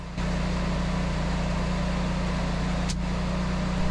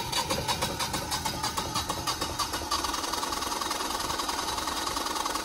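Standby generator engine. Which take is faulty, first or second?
second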